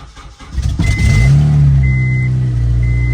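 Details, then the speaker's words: Acura RSX Type-S cold start flares then settles to a loud, raspy idle with a puffing edge at the front of the engine bay, most exhaust escaping before reaching the rear; exhaust header leak. "that's not a good sounding exhaust if you guys are wondering that's the header leaking"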